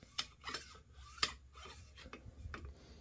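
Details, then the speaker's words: AR-15 gas block/tube alignment, lubed bolt carrier (bolt removed) slid by hand: irregular light metallic scrapes and sharp clicks as the gas key catches the gas tube lip; tube rotated slightly off, adjusting for smooth travel. "there's just a hair I'm just hitting the lip of it so I'm going to turn it just a hair more there you can actually hear it"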